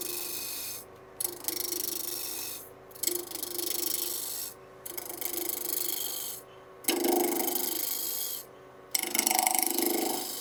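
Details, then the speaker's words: Woodturning spindle work, roughing a bead and cove stick large to small diameter with grain between centers: rasping cuts in bursts with uneven ticking as the tool rides over a knot in the wood. "You can hear that knot right there."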